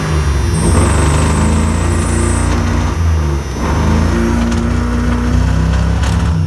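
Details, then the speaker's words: 1997 Dodge Ram 1500 revving with an uneven, stumbling, lumpy beat while smoking, "on about one cylinder": rough running and misfiring. The owner suspects the timing chain jumped a tooth; this is unconfirmed. "I think maybe the timing chain jumped a tooth or something running really rough and uh smoking"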